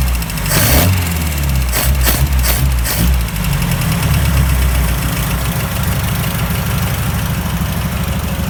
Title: Opel CIH Rod Knock?